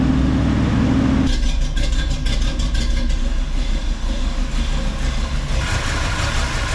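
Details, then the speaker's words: 1985 Chevy C10 with mechanical fuel pump after new dual-tank selector valve, sending units and fuel lines, switched to right tank: low steady idle rumble, keeps running evenly without stumbling; idling fine. "let's go ahead and switch it to right see what happens still running"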